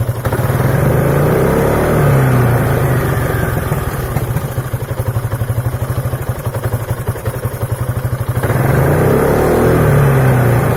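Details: 2003 Piaggio Beverly 500ie at idle: uneven, hunting idle with misfire, popping and stalling. Throttle body, cylinder head, fuel pump, temperature sensor, spark plug, coil and relays were replaced with no effect. Fixed by replacing the ECU.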